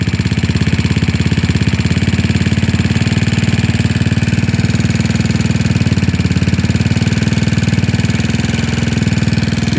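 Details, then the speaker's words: GY6 scooter engine idling while the carburetor idle mixture screw is turned richer: steady low thumping idle with no misses, the note changing slightly with the rich mixture. "I want to actually get rich and then lean it out [Music] give it more rich you can hear a different engine"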